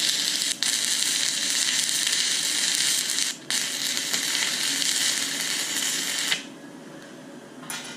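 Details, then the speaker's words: YesWelder Firstess MP200 stick welding 6010 rod at 100 amps: a steady crackling arc hiss that drops out abruptly twice in eight seconds before dying, cutting out even when pushed into the puddle. "you can't you can't really long arc it like you would want to with a 6010 and it did even even when i had it shoved in the puddle it still wanted to cut out somewhat again it ran it but it could be better"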